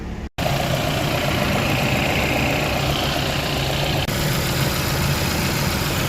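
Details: 2015 Volvo S60 T5 after replacing a leaking coolant bypass hose and refilling coolant, heater on: smooth, steady idle with even low hum, no misses, rattles or hissing; no leaks, engine healthy.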